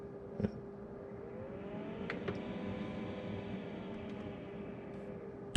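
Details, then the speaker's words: Kenmore fridge freezer fan with ice maker problems; the fan had earlier seized, frozen up by backflowed water; quiet, steady hum with one constant tone and a light whir, no scraping or ticking, so it now spins freely, possibly damaged. "it was seized up was frozen up with ice may or may not have damaged it cuz it's still working as you can hear"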